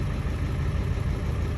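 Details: 7.3 Powerstroke diesel started fully cold without being plugged in, after shimming all injectors (it previously would not cold start and blew white smoke): a deep rumble that fires and settles into an even idle right away; normal cold start.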